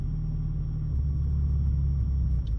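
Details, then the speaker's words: Ford Mustang EcoBoost with Accel spark plugs, misfiring since cold weather: low, rumbling idle near 1,000 rpm that sags and wavers, stumbling every second or so, nearly dying. Cylinder one shows the most misfire counts, with the plugs suspected. "See, look at that. It's just wanting to die because the misfire keeps affecting the RPM."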